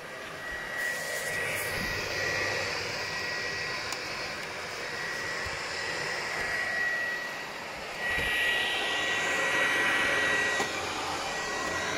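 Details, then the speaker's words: PlayStation 4 Pro whose processor overheats: the cooling fan roars flat out like a vacuum cleaner; the fix is cleaning the processor and applying new thermal paste. "bunun işlemcisi çok aşırı ısınıyor şu an sesi duyuyorsanız aynı elektrik süpürgesi gibi çalışıyor"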